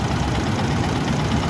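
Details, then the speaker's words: Yamaha Jupiter MX after replacing the cam chain tensioner with a longer aftermarket part: the engine idles with a steady, even, low burble, smoother than before, with no ticking or rattle. "ini suara sudah diganti stut kamrat suara sudah lebih halus"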